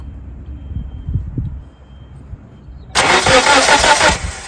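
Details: 1997 Nissan Sentra with suspected ignition problem, spark tester on plug wire number 1: about a second of fast, even cranking at roughly three beats a second; engine cranks but never catches.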